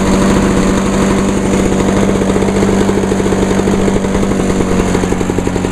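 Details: 1986 Lawnboy 8461 commercial mower, 21-inch cast aluminum deck, on choke, after fuel valve was turned on (had been forgotten off): fast steady two-stroke buzz at even speed without sputtering or dying; running normally.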